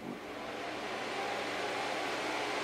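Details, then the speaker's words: Packard Bell iMedia S3720 tower with no display: a small fan of about 80 mm or smaller gives a steady, loud, airy whoosh at full speed with no let-up. The cause was badly seated RAM. "So, something's not happy inside. It sound It's very loud. And I'm surprised at how much air that little fan is shifting."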